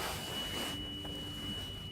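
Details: 2006 Thomas C2 conventional school bus at about -20° on a cold morning: a thin, steady high-pitched Vandalock anti-vandal alarm tone is sounding and blocking the engine start. A door switch contact is suspected, not confirmed.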